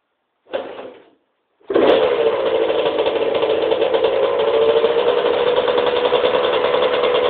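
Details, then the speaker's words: 1991 Suzuki RM125 two-stroke after a bogging fix: idle screw adjusted, float height set, main jet reduced from 360 to 330, needle height adjusted. Quick start, then a steady, even buzz that holds pitch without bogging or stumbling; running cleanly. "um yeah it's actually running pretty good now I'm going to start it up for you guys real quick"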